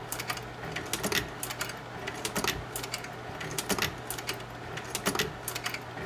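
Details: GAF 680 slide projector with round tray: bursts of clicks and clunks repeat about every 1.25 seconds over a low motor hum; healthy, even slide-change cycle.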